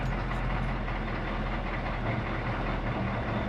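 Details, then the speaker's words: Diesel ambulance after charging flat batteries and waiting for the glow plug light, just started on slave cables after winter storage: deep, even diesel rumble with no misses or knocks, idling smoothly. "Let the glow plug light do its thing. As soon as that light goes out, there we go. And she fires right up."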